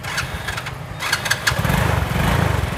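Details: Novo 4 scooter: a short starter whirr, then the engine catches and settles into an even, steady idle without knocks or rattles. It sounds healthy.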